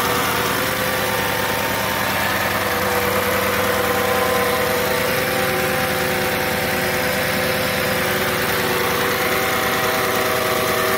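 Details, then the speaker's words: 2007 Audi S8, about 73,000 miles, cold start after sitting at least a month: steady idle with a thin high-pitched whine from the secondary air pump running in the background, plus normal injector noise; normal. "You can hear a high-pitched noise. The air pump is running in the background."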